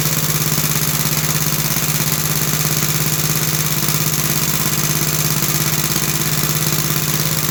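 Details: About 66-year-old 1960s English Suffolk single-cylinder engine after carb clean and new plug wire, started on choke: slow, steady, even thumping with no misses or knocks; running smoothly.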